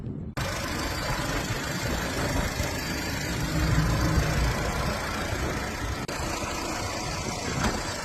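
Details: 2005 Seat Ibiza after repairing corroded, broken black-white wire feeding the engine control relay, which caused crank no-start: engine catches straight away and settles into a steady, even idle with no stumbling or knocking.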